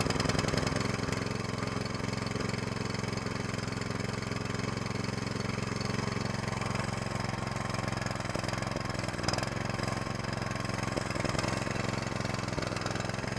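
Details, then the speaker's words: Small single-cylinder mud motor (SPS Longtail) in break-in on 10W30 oil, run at varied moderate RPM, never max throttle. Steady even putter with no knocks or rattles; healthy new engine settling in. "all right that is about done all I'm going to do for the brakin let it run for 3 hours vary the RPM like I was doing never let it run at never put it at Max throttle"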